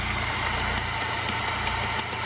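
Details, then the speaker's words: Honda Grand Civic carburetor at idle with vacuum hose fitted and sucking: crisp light clicks every few tenths of a second from the power jet piston, working properly; no hose means no clicking. "ini artinya ini ee piston powerjet bekerja dan sudah bagus kalau enggak ada selang enggak ee enggak bunyi cetak cetuk"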